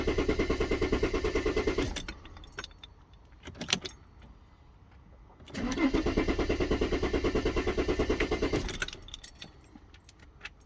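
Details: Mercedes S320 CDI diesel with a hard-starting complaint: steady starter cranking at about three turns a second over two long attempts, never catching or firing. Cranks without firing; cause unknown.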